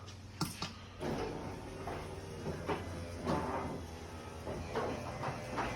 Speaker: even though the door is a lot quieter because of the nice smooth operation and quiet operation of the Adams Pro, it's not going to replace old bearings.